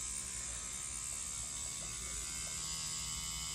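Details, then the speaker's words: Neuma 4 nine-volt rotary tattoo machine (rated 5–9 V) running at low voltage, about 5.5 V: steady high-pitched electric hum with an even, fast buzz and no rattle, smooth and healthy; normal running. "the minute I hit scan it recoils and gets really really quiet he just has that nice coil machine hum"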